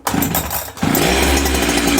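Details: Larger two-stroke machine started with decompressor on, choke pulled and throttle lock set: after a brief pull it catches at once and settles into an even, high buzzing run; clean, healthy cold start.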